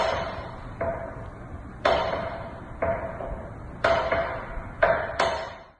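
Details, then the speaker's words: Ceiling fan in a new construction home: sharp, ringing knocks about every second or two while it turns, against a quiet room; ceiling fan knocking. "and then there it's a strange knocking sound in the ceiling fan"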